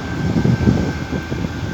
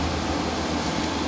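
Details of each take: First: Window AC compressor that kept tripping, started after replacing the capacitor. Steady low hum with a faint even high tone under the fan rush, running normally. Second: Window AC whose compressor repeatedly trips and room won't cool: brief steady low hum with airflow hiss, running with compressor on; no clear fault sound in this short stretch.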